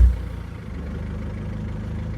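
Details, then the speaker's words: Mercedes W203 C220 estate four-cylinder diesel at idle after a new AMG exhaust and rear box: low, steady diesel clatter with a deep, even exhaust note and no knocks or misses; a healthy idle, with virtually no change in sound from the new exhaust. "I appreciate it's a diesel. However, there's virtually no change with the diesel rattle as you'll hear here."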